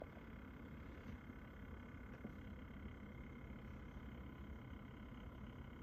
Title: Kraken z73 pump buzzing sound is unbearable, any fixes or just beg NZXT for replacement?